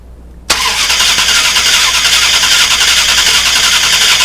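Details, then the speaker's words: 2000 Dodge Durango 5.9L V8, key on, spark tested with a remote starter: fast steady cranking that runs on without a single firing stroke; very weak spark found. "So we have a very weak spark. I don't think the camera even picked that up."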